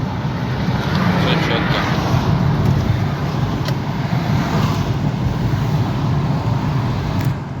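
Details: Opel Antara braking test after fixing brake scrape and grind: pads cleaned earlier. Only steady tyre and road rumble while slowing, even under harder braking, with no scrape or squeal. Owner concludes any grinding comes mainly from the discs, not the pads.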